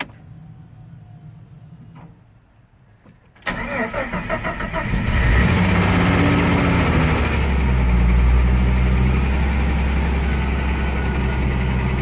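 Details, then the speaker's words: 1987 Jeep Comanche SporTruck, AMC 4.0L, 5-speed manual, 115,000 miles, first start after fuel pump replacement, driveshaft removed: engine cranks, catches and settles into a steady, even idle with no misses or knocks; normal start and idle. "Alright, that sounds like a running engine."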